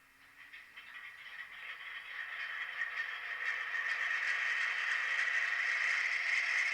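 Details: Broadway Limited Imports N-scale SW7 locomotive during its startup sequence after the standard break-in period; harsh, gritty high-pitched grinding swelling and holding steady with fast rattling underneath, from the locomotive itself, not the sound effects; dry gears grinding.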